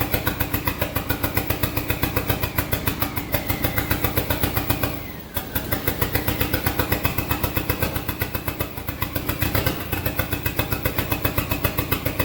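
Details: SRT-4 engine swapped into a drift truck, first test start. Choppy, uneven idle pulsing about four a second, dipping nearly to a stall. Rough idle because there is no throttle position sensor, so idle can't be added.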